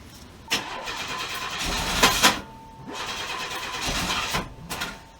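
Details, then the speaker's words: Oldsmobile Cutlass Ciera wagon: repeated long starter cranking before it reluctantly fires, then runs rough; hard starting, owner suspects a vacuum leak from a taped-on popped-off vacuum hose, not confirmed. "man she is putting up a fight there we go it's rning like a dump truck but it's running"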